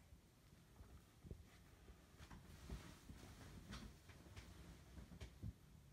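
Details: Ceiling fan with faint, regular sharp clicks about every half to three-quarters of a second over a quiet low hum; noisy clicking fan.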